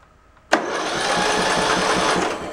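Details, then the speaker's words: Craftsman LT1000 tractor, probably early 2000s, cranked via jump pack at the starter: fast, even starter whir with no compression strokes at all; overheating with a blown head gasket suspected, maybe a mouse nest; no compression when cranking. "well you guys hear that but that's got no compression whatsoever so uh we definitely uh have an issue more than likely it has a mouse nest in it like I was saying and I bet you it overheated and probably blew the head gas it"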